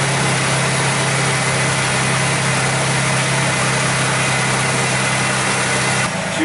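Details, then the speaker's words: Mercury Sable first start after fuel pump replacement (old pump drew high current, low fuel pressure, intermittent no start); pump heard priming on key cycle, then engine fires and settles into smooth, steady idle without stumbles. "listen close here that fuel pump kick on all right started"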